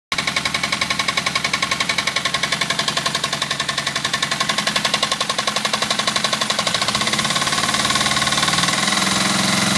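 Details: Suzuki GS500F: hard, fast knocking at idle, about 220 a minute, that stops past 2,000 rpm; cause not identified.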